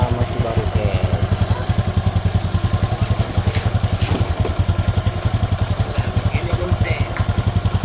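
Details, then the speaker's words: Honda Supra X 125 after engine rebuild for rough piston-and-block noise: even, clean single-cylinder idle with no clatter; idle raised slightly as the fresh engine still turns heavy, some leftover oil seepage. "Wah bong karena mesinnya masih sedikit berat kita besarin sedikit lansamnya guys karena ini berat berat karena putaran mesinnya berat karenanya masih"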